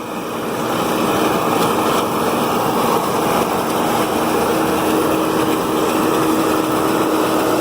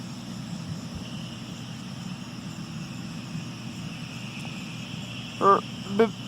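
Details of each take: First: New Holland Roll-Belt 450 round baler pulled by a John Deere 4440, wrapping a hay bale with the knives in: a steady, mid-pitched mechanical drone with no knocks or grinding, which is normal baler operation. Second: John Deere 4440 tractor pulling a New Holland Roll-Belt 450 round baler in alfalfa and clover: steady tractor drone, then two short sharp belt squeals as the bale chamber fills.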